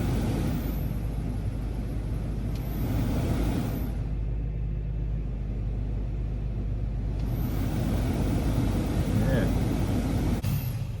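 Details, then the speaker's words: Honda Element HVAC blower fan, OEM part 700005, after a swap to fix intermittent no-heat: steady, even rush of air with a low hum and no rattle or whine; the blower runs strong and quiet. "Whoa. She's blowing good, and it's quiet. I like that."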